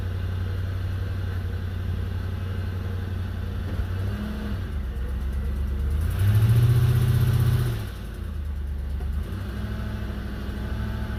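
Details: Stock 2005 Toyota 4Runner 4.7 V8 at idle; quick steady puffing tick that gets louder and faster with a blip of revs: a bad exhaust leak.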